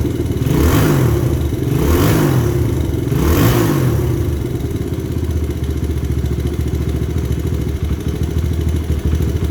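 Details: 2000 Honda XR100 with a BBR 120 big-bore kit, cold start the next day with an ice-cold pipe during break-in, some oil burning off in the pipe: three quick revs, then a steady, even low-thump idle. Normal cold start.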